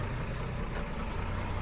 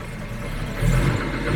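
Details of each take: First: 1966 Jaguar S-Type 3.8, cold-start carb switched off at about 30° on the gauge (original switch should cut at 37°), still slightly cold: steady, low, even idle with no misses or knocks. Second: 1966 Jaguar S-type 3.8 on a cold day, after the cold start enrichment switches off: deep, slow, slightly loping idle holding steady but a touch low; low cold idle.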